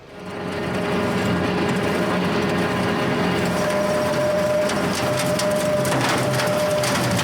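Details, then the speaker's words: County Line brush hog rotary cutter, refurbished earlier but without new bearings, running: a steady high whine over a rough churning roar; worn bearings suspected, not confirmed. "hear that we need some bearings"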